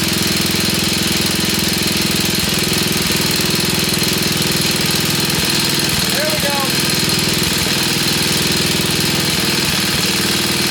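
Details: 1966 Sears Custom lawn tractor, first start, with choke: fast single-cylinder putter with an uneven hunting beat over a loud hiss; unsettled idle, something burning off, owner wonders if the block has a hole.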